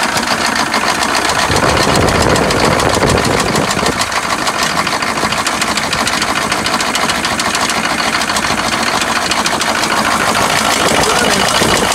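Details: GMC Suburban 6.5 L diesel, bought unseen, seller said it runs rough and smokes, first start on trailer: rough idle with sharp tapping, three or four per second, over loud clatter on one side; tick or knock, cause unknown.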